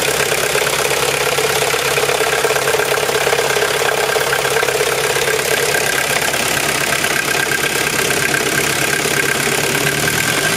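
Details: VW Golf 3 idling in neutral: steady whirring rattle appears when the clutch pedal is released and gets louder while driving; car still drives normally; owner unsure whether gearbox, clutch or differential.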